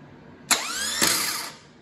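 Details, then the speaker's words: Known-good air-cooled VW starter bench tested on engine stand with 12-volt battery, no engine fitted: sharp click then clean whine climbing quickly and winding down, enough torque to move the bell housing; normal starter motor spin-up. "you can hear it wind right up there has enough torque to move the whole bell housing a little bit"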